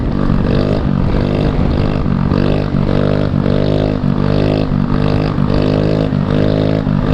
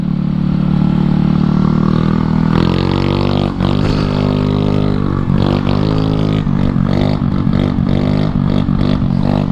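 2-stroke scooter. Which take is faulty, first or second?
first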